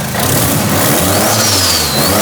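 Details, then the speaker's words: Freshly built rear-wheel-drive converted Mitsubishi Lancer on E85, just started, no radiator fitted: crisp free revs climbing and settling smoothly, quick throttle response, no knocks or rattles; responsive, healthy engine. "That's responsive, huh? All right, it runs so good. This motor sounds so healthy, which I'm so thankful for."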